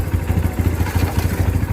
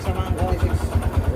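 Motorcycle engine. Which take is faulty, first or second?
second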